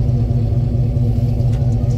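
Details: 2017 Chevy Silverado 5.3 V8 after installing aftermarket long-tube headers, with exhaust leaks fixed and a small resonator added: deep, even exhaust rumble, smooth steady idle pulse, no ticking or puffing from leaks; normal idle.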